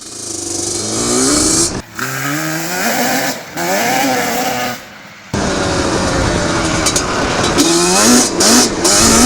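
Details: Yamaha Banshee two-stroke twin ATV (472 or 421 build) on a hard flyby pass, possibly not fully warmed up: the note stumbles and wavers under throttle; owner suspects lean jetting, though too rich is also considered.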